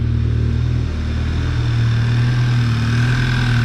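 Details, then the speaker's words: Mk6 VW GTI engine on first start after replacing seized exhaust-side balance shaft, both balance shafts, chain and tensioner: smooth, steady idle with even low hum, no knocks, misses or rattles; healthy. "Sounds good. So we'll let it warm up for a bit. Get up to operating temperature, check the fluids, check for leaks, take it for a rip."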